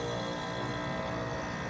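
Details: Rheem HVAC condenser after replacing a bad capacitor, melted wires and the contactor: smooth, constant hum with a steady low drone and fan whoosh, no clatter or buzzing, running normally.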